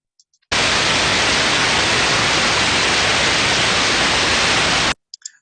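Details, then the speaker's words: Ultrasound heterodyned bearing inspection: smooth, even white-noise hiss with no sporadic crackling or grinding, typical of a newly installed, adequately lubricated healthy bearing. "niform in nature it should be nice sound like white noise but if it's not so good and again this is using our human hearings and making our judgments we'll start to hear maybe sporadic crackling noises or coarse grinding sounds"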